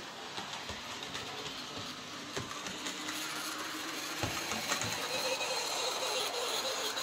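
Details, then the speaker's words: Hornby J36 model locomotive, bought new this year, unused a few months: thin high-pitched screech rises over the small motor's whirr after running a while, same in reverse; motor screech, likely lack of lubrication. "it does the same in reverse so something's clearly not quite right there um could just be a little bit of lack of lubrication"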